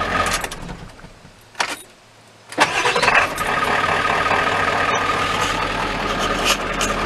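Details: 1995 Ford F-350 7.3L diesel with intermittent hard starting. A short crank, then it catches almost at once and settles to a steady idle. It smokes at every start; owner suspects the starter or a battery connection, cause unclear.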